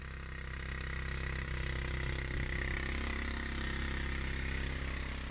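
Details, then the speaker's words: Suzuki GN125 motorcycle, first start after over a year unused, fresh fuel and new battery: small single chuffs unevenly with wet ragged raspy beat; rough idle, exhaust leak suspected. "And she's alive. Sounds awful. Sounds like a big wet fart."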